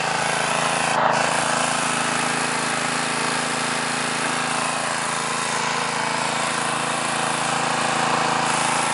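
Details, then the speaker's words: New, stock Harbor Freight Predator 212cc OHV engine, Ruixing carb, 87 octane fuel, warmed up, choke fully off, mid-range throttle, about 40–45°F and 1200 ft: a steady buzzy run with a few pops; going away at half choke suggests a lean mixture. Engine popping. "i don't have a tachometer so i'm only guessing here but you can hear it popping a little bit there you go there was three pops"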